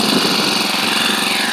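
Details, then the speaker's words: SEDEG 4-stroke 1.5 hp air-cooled outboard, about 50 miles in, revved high out of the water: fast, buzzy, even rattle from the centrifugal clutch; normal, nothing to worry about. "so you'll hear this this racy rattle that's the centrifugal clutch and um"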